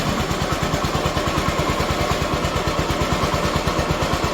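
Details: Honda ST90 motorcycle under restoration, small single idling in neutral with a steady, even putt-putt of several beats a second, no knocks or misses; healthy idle, clutch working fine.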